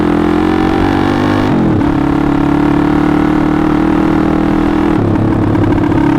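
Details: TaoTao 140cc pit bike on its first ride after clutch replacement, cold day, started first kick: steady, even engine buzz dipping briefly at each gear change and picking back up cleanly, no sucking or rattling; normal running.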